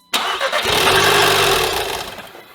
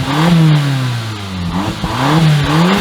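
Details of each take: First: 2015 Audi TTS rollover donor: cranks, catches and runs about two seconds, then winds down and dies on first start. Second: 2015 Audi TTS from a rollover, after a locksmith programmed the key and with the oil pan hole temporarily patched: the engine revs up and settles back several times with a clean, even note and no knocks. It is a healthy engine that now runs without shutting off.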